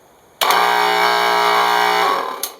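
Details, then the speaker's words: Craftsman 12-gallon air compressor that only hummed, after freeing the stuck piston: motor spins straight up to a steady, even drone with clean pumping note, no stalled hum, then shuts off; running normally. "uh cuz now the Piston has been freed and you'll hear it sounds like a normal compressor and it doesn't hum"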